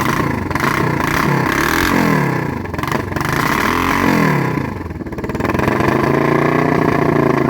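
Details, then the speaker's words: Kawasaki Vulcan EN500 498cc twin with new glasspack-style exhausts, right carburetor gasket replaced, fuel from float overflow (owner suspects sticking float needle); revs up and down with uneven lumpy beat and clatter; owner suspects spark plugs or misfire: rough running. "yeah it's still having some issues guys that I'm trying to work out slowly trying to figure out what exactly be wrong with it"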